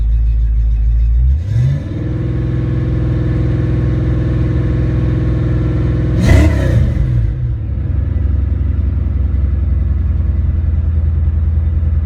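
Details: Ford Mustang after a mass-air ECU (A9P) exchange, on a test run. The engine starts, settles, then revs smoothly and holds a steady even note with no stumble or misfire; checking for breakups or engine lights.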